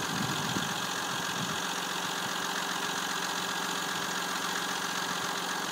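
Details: Steady idle of a 3.0 CDTI Z30DT diesel with a constant light metallic clatter over the hum, just after a Mobil 1 0W-40 oil change and new timing belt with tensioner rollers; owner unsure if the clatter is normal.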